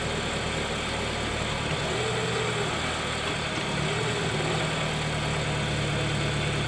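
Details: 2013 Dodge Dart, passenger-side engine mount sagging over an inch, started and shifted into gear and reverse; steady idle with low droning shake and uneven throb: worn engine mount, replaced with cheap aftermarket mount.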